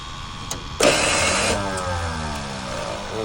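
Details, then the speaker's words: Digger truck starter: a short harsh burst, then a whir that winds down without turning the engine over. Owner suspects the starter is not engaging the flywheel; not confirmed. "It's like, I don't know, it sounds like the starter's maybe engaging but not clicking on the flywheel."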